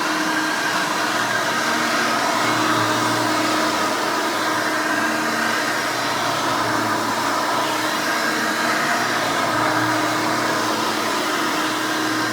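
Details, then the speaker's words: Hoover Elite 600 upright vacuum, model U4473, from 1989, 120 V 60 Hz 6-amp motor, switched on: a steady, loud, high-pitched scream with rushing air and no surging or grinding, a normal vacuum motor running. "let's go ahead and turn this vacuum on and you can hear this thing and all of its screaming overly loud Weaver glory"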